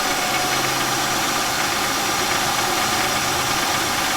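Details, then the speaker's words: 1999 Buick Century that was misfiring, running on maybe 4 cylinders: steady airy sucking hiss over faint rough idle; suspected failed intake seals, vacuum leak at idle. "I think the intake seals failed. Do you not hear the loud sucking sound?"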